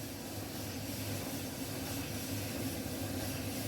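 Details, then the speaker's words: Alliance Speed Queen commercial dryer after replacing the damaged drum idler pulley, its nut and the drum bearing slide kit: steady even low rumble and hum with no knocks or squeals; the earlier loud noise is gone and it runs properly. "yes it's working like that not like before it's making loud noise now no any loud noise it's working properly"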